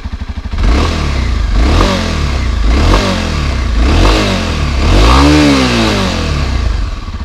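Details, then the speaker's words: 2017 Kawasaki Ninja 250 SL starting and revving in smooth up-and-down sweeps with no knocks or rattles; the rider notes a high-pitched whine from the engine. Normal start and rev. "ในส่วนของเครื่องยนต์มีเสียงหวีดให้เสียงแหลม"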